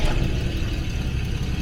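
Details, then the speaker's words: 1977 Jaguar XJ12 after breakdown with loud boom, distributor reset, timing rough, air filters off: fires right up into steady low rumble, low idle, no knocks or misses, low pressure building; normal running. "all right that fired right up we are building low pressure h no weird sounds or anything I do have the air filters off so it's a little bit noisier than usual"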